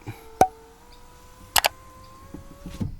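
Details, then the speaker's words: 2015+ Ford Ranger (also Everest/Mazda BT50) power window after a reset following disconnecting the door loom or battery, ignition on: a click, then a steady even motor whir about two seconds ending in a soft thud; normal operation. "Alright, and then all the way up for about 10 seconds or until you hear the click. There we go. And then it should work."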